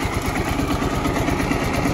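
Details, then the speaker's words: Ural motorcycle twin-cylinder engine (new, low mileage) idling with a steady thump and light quick valve ticking; runs slightly noisier, valves could be adjusted, gear whine possibly audible. "Клапаночки цокают, ну клапаночки понятно, можно отрегулировать, ну и как бы немного, опять же, на мой слух, как будто слышно и работу шестерен."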